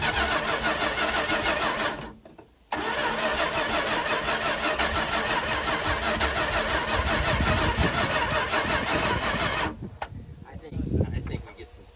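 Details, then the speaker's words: 1968 Plymouth Fury 318 V8 with one-barrel carburetor, barn-stored and not run in over 20 years, old oil: two long bursts of even cranking, never catches; owner suspects plugs and wires or a weak battery; crank no start. "plugs and some wires I think it's worth it because it sounds like it wants to"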